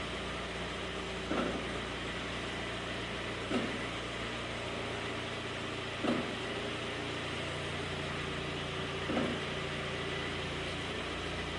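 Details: Kia Forte Koup: over steady engine hum, a brief scraping swish repeats every two to three seconds, a weird brake dragging noise, cause unknown.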